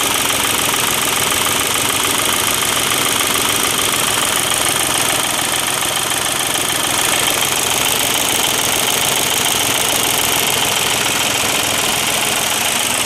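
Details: Volkswagen diesel idling after its injection pump was refitted with the broken internal spring replaced. Even diesel clatter ticking about three and a half times a second with an unbroken rhythm: healthy, normal diesel idle.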